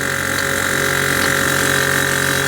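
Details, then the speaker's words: 1998 Newell coach, new ultra-quiet 12V air compressor replacing Thomas unit, with check valve: quiet, steady motor hum, even level, no knocks or rattles, reaching pressure quickly; healthy smooth running. "You can see it's it's pretty quiet. So, I think this is going to be a pretty nice upgrade."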